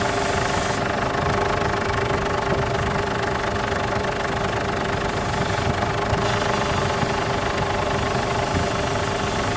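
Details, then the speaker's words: Ford Everest at idle after power steering fluid refill, steering turned: steady mid-pitched whine and groan as if the pump is starved of fluid; steering very stiff; noise persists, fluid to be flushed again. "Narinig niyo mga boss ano? Meron siyang umiingay na parang hindi siya nasusuplay ng langis."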